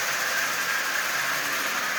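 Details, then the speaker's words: Marx 595 toy train locomotive, cold at 32°F, at 40% power: steady, even high whir with a thin whine, smoothing and speeding up as the motor warms; runs forward, not in reverse, needs cleaning and lubing. "this is starting to run much faster now as you see"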